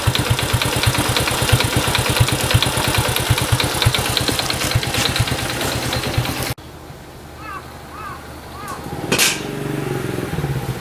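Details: Honda Cub small single, 65,000 km, checked for abnormal engine noise with compression test: quick, regular clicking about three times a second keeping pace with the idle; source not pinned down.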